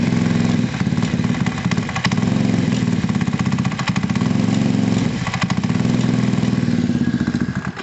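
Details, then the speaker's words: Gilera DNA 125 scooter, idling on very low revs with no coolant and carbs still poor, won't take revs: quick, steady putter that swells slightly, engine sounding healthy; loose rear brake pad rattle mentioned. "so at the moment it's idling for me that means the carbs still were rubbish and i did expect that anyway uh but the engine sounds healthy enough now"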